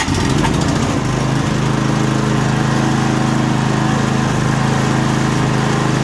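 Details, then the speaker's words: Murray 24-inch rear-engine riding mower, 190cc Briggs & Stratton, after repair of a no-start caused by bad milky fuel: carb clean plus fuel tank and line flush; smooth, steady fast drone with even firing, runs fine. "Well, that got us back up and going. Just needed a carb clean, fuel tank, and a line flush."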